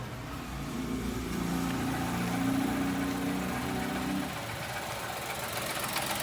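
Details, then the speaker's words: 2020 Chevrolet Onix three-cylinder, about 1,000 km, parked just after starting, heard from inside the cabin: tinny machine-gun metallic rattle only while brake pedal is pressed, stops on release; mechanic suspects brake vacuum pump, dealer calls it characteristic. "e aí é daqui de dentro a gente já observa o barulho barulho de lata e o barulho é e aí é só quando a pressão do freio parou barulho parou"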